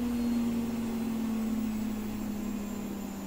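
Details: Gorenje SensoCare WAE74 washing machine after motor bearings replacement, full 1400 rpm spin: steady smooth hum near 200 Hz sliding slightly lower, no rumble or grinding; bearings healthy, faint noise from the worn pump.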